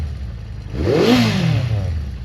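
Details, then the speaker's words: Honda CB400 Four after tappets reset: quick throttle blip falls back to a steady tick-over, clean exhaust note with no mechanical clatter; quiet, smooth, valve noise cured. "Oh yeah, well quiet. Yeah, smooth as anything. Bloody hell, I'm happy with that. Yeah, that's well smooth now."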